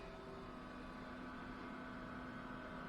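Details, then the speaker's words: Cathville 48-quart portable 12/24V DC and 110-240V AC fridge-freezer just after start-up; steady even fan hum with faint motor drone, not loud, no rattle or knocking: normal running. "You can hear a fan there. It's not really loud. I mean, it's not going to be annoying and things like that."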